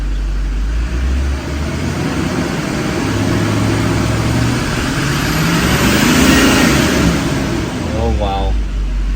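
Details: Duramax diesel revved while watching whether fuel pressure holds with rpm; pressure now rises with rpm. Revs up smoothly and settles to a steady low rumble, no misses or knocks; healthy.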